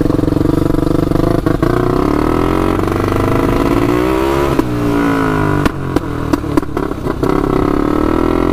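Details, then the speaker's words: 1999 Honda 400EX turbocharged quad, first test drive with oil and fuel pumps fitted: revs hunt up and down with sputtery dips under throttle; surging and cutting out at boost, owner suspects flooding, not confirmed. "uh still surging quite a bit it's not liking that"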